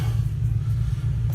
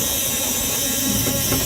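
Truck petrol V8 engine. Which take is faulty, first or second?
second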